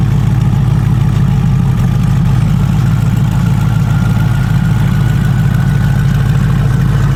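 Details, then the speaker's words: Built 427ci LT2 V8 in twin-turbo hybrid C8 Corvette E-Ray, first start after install with base tune: deep steady rumble settling into an even idle, no knocks, misses or hunting; data looks good, normal idle. "First crank, so far so good. Data looks good."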